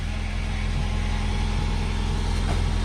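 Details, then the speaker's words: 2010 Mazda 6 GH at idle with handbrake on, after exhaust bolt and seal replacement: fast puffing tick about three a second over the low rumble; exhaust leak at a gap in the joint, fumes escaping, needs further tightening. "We have a leak. I hear it right here. There's a leak."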